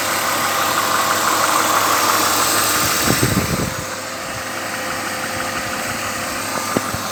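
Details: BMW 323i E36 inline-six at idle: light, quick ticking/clattering over a faint steady whine; owner asks what causes it, cause unknown.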